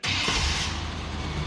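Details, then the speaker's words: 1998 GMC OBS pickup, V6, after replacing the in-tank fuel pump on a truck that sat a long time; pump seemingly heard running, engine catches quickly and settles into steady even running; normal start, fixed. "Oh yeah. Fixed it. Pretty common on these things, especially when they've been sitting a while."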